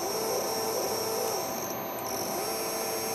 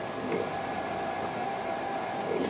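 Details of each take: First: Repaired MaxNC CL CNC control board (bad MOSFET replaced), closed-loop quadrature stepper, probably on the X axis: clean steady mid-pitched whine that holds, drops and returns as the axis starts and stops, no grinding or stutter; running normally. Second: MaxNC CL CNC control board with closed-loop quadrature steppers, shorted MOSFET removed, X axis moving: thin steady high whine, weaker in one direction as one coil isn't activated without its MOSFET; stepper motor running with missing driver MOSFET.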